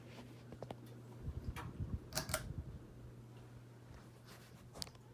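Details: Vintage Encon Premier Deluxe 36-inch ceiling fan on high speed in downdraft: steady low motor hum with a few handling clicks; smooth even run, nothing wrong.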